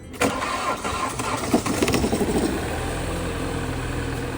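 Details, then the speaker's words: 2019 BMW 530 (G30) B-series engine that ran with no coolant after an oil filter housing leak: long struggling crank, then stumbling uneven firing and lumpy idle. Components melted from overheating; engine replacement needed. "all right let's start it barely starting really struggling to start this is how it came to us no coolant"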